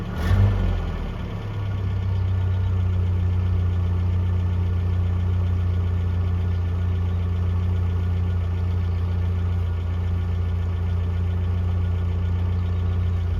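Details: 1982 Toyota SR5 4x4 pickup after fixing crank-then-cut-off problem (carburetor rebuilt earlier; owner thinks emissions control computer box was the cause): steady, even low idle, smooth unbroken drone, no dips or stalling; holds idle cleanly.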